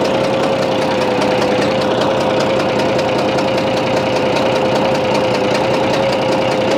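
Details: Bizon A-01 diesel at idle: fast, uneven knock or snorting over a thin whine that changes when the No. 3 high-pressure fuel line is loosened; odd noise also at shutdown; owner suspects the third injector and plans removing the head; unconfirmed.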